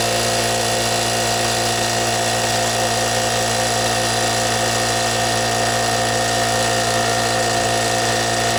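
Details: Brute 10 gal air compressor after pressure switch replacement for a leak: steady, even motor hum at constant pitch with no knocking or hissing while building pressure; running normally.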